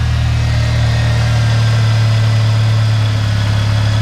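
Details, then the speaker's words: Chevrolet Cobalt engine compartment at idle after replacing a cracked flex pipe/downpipe: steady, even low hum, no ticking, hissing or puffing; exhaust leak fixed, engine healthy. "I can hear things running now so got that fixed"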